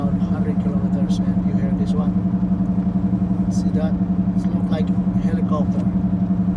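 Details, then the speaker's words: 2014 Ford Escape while driving, heard from about 35 to 90 km/h, worse turning left: steady low drone with even wub-wub pulse about twice a second; mechanic diagnosed worn front driver-side wheel bearing. Wheel bearing hum. "there's some noise on the driver side front wheel um but i i didn't know until my until the mechanic told me that it's the bearing in front driver side wheel"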